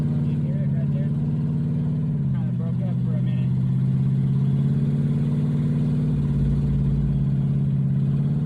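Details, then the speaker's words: Ford Mustang 4.6 V8 after intake replacement meant to stop coolant entering cylinders 5 and 6, still warming up at idle: steady idle briefly sags and drops pitch, then recovers; unresolved, owner guesses spark plugs or a wrong hookup. "Well, we don't have it. We don't have it solved yet, but I'm going to assume for now it might be spark plugs."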